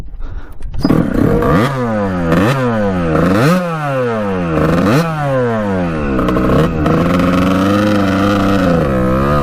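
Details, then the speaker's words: 1989 Kawasaki KX125 two-stroke after power-valve replacement, exhaust checked unblocked, float height just changed: revs surge and fall repeatedly then hang at a high buzz, running really weird; owner suspects carburetor problem, cause unknown. "what the heck i can't figure this bike out [Music] running really weird"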